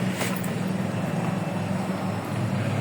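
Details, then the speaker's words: Honda Beat with error 12, after blown fuses were replaced and the check engine light cleared: at key-on a steady low hum holds for a few seconds; the fuel pump primes normally and fuel supply is restored. "tumunog na siya. Tumunog yung pump. So, nagkaroon ng supply."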